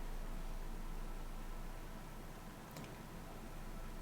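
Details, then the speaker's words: PS4 Pro console idling at home screen before launching Warzone, with PS5 also on: faint steady low fan whoosh, no ticking or rattle; normal quiet idle fan noise. "i don't know if you guys can hear it but i can hear the fan a little bit my ps5 is also on and it's super quiet right now"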